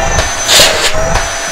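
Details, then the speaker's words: Panasonic MC-CG524 vacuum cleaner after repairing the stuck cord reel with the cable rewound and a new original dust bag: strong, steady high-pitched motor whine with slight airflow surging, smoother than before, no grinding or rattle; suction works normally. "Nah, ini suaranya juga udah lebih halus ya karena kita roll ulang tadi kabelnya."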